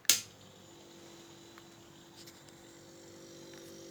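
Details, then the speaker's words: KIC fridge that had made a loud bang and smoke and tripped the house breaker, switched on after fault finding: a click, then a faint, steady low hum as the compressor starts and runs quietly, cooling normally. "okay yeah it's running let's give it a little time and see in the inside how it freeze running and very silent"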